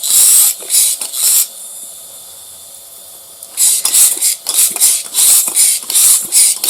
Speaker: can hear it it's big hole the Air's coming out pretty quick